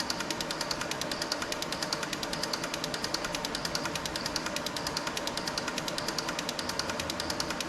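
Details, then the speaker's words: Six fuel injectors on bench testing unit, pulse injection test checking firing and solenoids: crisp evenly spaced ticking about a hundred per minute, no dropouts; injectors firing cleanly, flow readings close across. "but we're going to do the pulse injection test. Make sure they're all firing correctly and the solenoids are working right."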